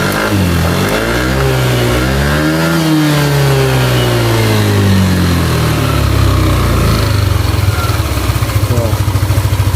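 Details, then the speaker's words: Yamaha Aerox scooter after repair of a broken rocker arm bearing and rocker shaft. The engine revs up and down smoothly with no more ticking: normal revving. "Alhamdulillah ya untuk suaranya kembali lagi halus banget untuk suara mesinnya yang tadinya ngeletek e suaranya kembali halus lagi Bang"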